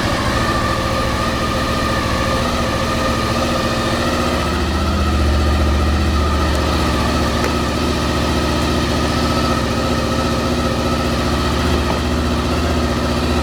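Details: Honda VFR 800 after replacing the ECU and HISS system for a suspected bad ECU; fuel pump primes normally. The engine catches and settles into a steady, even idle with a firm low beat and no stumbles; it sounds healthy.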